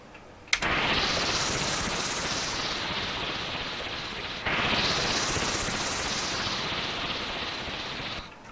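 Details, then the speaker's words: SID chip sounding as it should, compared against faulty C128 SID: two matching hissing sweeps, each rising then easing over about four seconds, clean and undistorted; normal SID sound output. "so diese zwei Töne also das was da jetzt kam das hört sich hier richtig an beim C128 war ja da was nicht ganz richtig"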